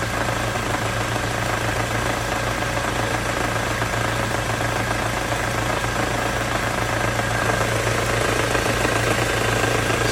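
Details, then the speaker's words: Ford Mondeo 4 2.3, A/C on: even idle with a light, rapid knock about four times a second, loudest between cylinders one and two; the source is still unknown. "звук самое большее между первым и вторым цилиндром. Где-то вот здесь вот."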